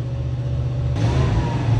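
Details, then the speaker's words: 1988 Chevy G30 motorhome at 53,000 miles, right after an oil change: steady deep idle, then a clean quick rev rise with a smooth even note and no knocks or rattles; quieter and healthy. "Wow. Look how quiet she is. That's a good baby. Sounds so much better, huh, baby?"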